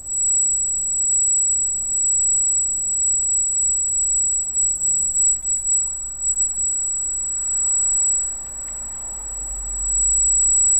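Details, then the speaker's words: Freshly installed Arris CM2000 brushless camera gimbal with GoPro Hero and FPV cable: thin, steady high-pitched whine constantly above faint room noise; squealing brushless gimbal motor drive whine, part of the setup. "that's the heiress you can hear it squealing like crazy"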